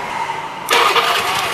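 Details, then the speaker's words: Older Honda Scoopy scooter, battery charged to about 12.3-12.5 V, dynamo and bendix good, with a hot engine: short crank burst catching abruptly into a higher buzzing run; electric starter engages only sometimes, pointing to a weak start circuit. "udah itu mas bro udah kadang mau kadang nggak Mas Bro nah ini tidak mau nih ini sudah tidak mau ya jadi mau tadi"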